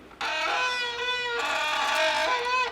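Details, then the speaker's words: Bicycle disc brake: a loud, piercing squeal held for over two seconds, its pitch stepping slightly as the brake is applied; glazed pads are the cause, contamination or glazing being the common culprits; disc brake squeal from glazed pads. "a lot of the common causes for brake squeal is going to be primarily contamination or glazing"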